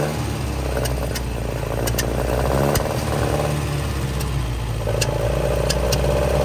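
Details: 1966 Volvo Amazon 122 estate, abandoned car jump-started from another Volvo: four-cylinder runs steadily with a low even beat, picks up smoothly on light revs, a suspected lean backfire, possibly running low on fuel; normal running.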